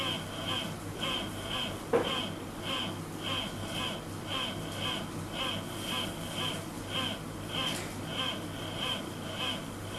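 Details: LED lamp driver gives a thin, high chirp pulsing about twice a second at switch-on, heard as a grinding noise; the lamp struggles to start.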